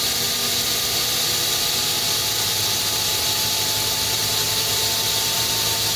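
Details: FH680 spindle running after cable replacement: steady high hiss and thin whistling over a faint motor hum, sounding rough; a rear spindle bearing is suspected but unconfirmed; main breaker shut off at one minute.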